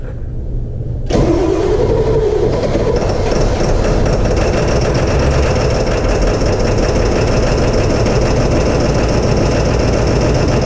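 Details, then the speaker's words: 1999 Ford F350 7.3 Power Stroke diesel (HEUI), unstarted about 4 months, cold start at about 5°F with ICP sensor unplugged: cranks, catches, settles into an uneven, lumpy loping idle; rough, put down to the cold, ICP sensor to be replaced. "So with our ICP sensor unplugged, it runs. Runs a little rough because it's about 5 degrees Fahrenheit out here, and according to the seller, they haven't driven it or started it in about 4 months before I bought it, so it does run though."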